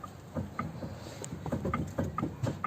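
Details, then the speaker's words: VW Passat B3 front suspension, car jacked up: quick light metallic clacks, about four a second, as the raised wheel is rocked by hand; play from a worn tie rod end, which was replaced. "вот человек жаловался что опять идет какой-то шум стук с подвески"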